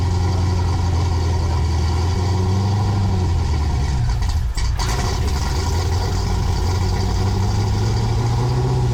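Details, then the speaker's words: Freshly built 6.8 LS3 stroker V8 in a '55 Chevy pickup, running with oil pressure confirmed: deep, even rumble holding steady with no stumbles, knocks or valve-to-piston contact. Normal running. "oil pressure and vroom vroom noises I know no valves hitting Pistons"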